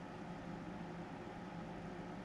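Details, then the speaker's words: Tektronix Type 127 preamplifier power supply under repair, powered on after the time-delay relay pulled in, with the +100 V rail reading a high 113 V: a constant low buzz under a steady hum, unchanging in pitch; source of the noise not found. "Uh-oh, that doesn't sound good. Something's making a funny noise. Should I worry about that? Maybe not."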